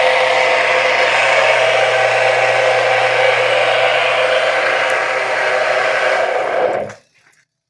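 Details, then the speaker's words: Washing-machine (tanquinho) motor with rust and water damage from being kept in a damp place: a steady loud whirring hum with a rough, raspy edge until it winds down; the bearings are dry and compromised, and lubrication may not cure it. "Essa zoada aí é porque tá seco, tá?"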